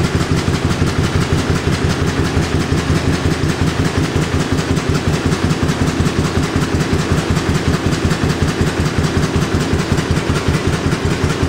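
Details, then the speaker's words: John Deere A running on one cylinder because the #2 spark plug wire broke inside the magneto cap, leaving no spark on the right side. It makes a slow, lopsided chuff-chuff beat near 160 a minute with a missing power pulse. "see if i can get her started up here and you can hear how she sounds on one cylinder"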